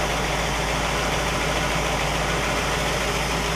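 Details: 1960 Pontiac Catalina 389 V8 idling on a Heathkit IO-20 ignition oscilloscope: steady, even idle with smooth continuous rumble, no knocks or misses; ignition spot on, engine running right.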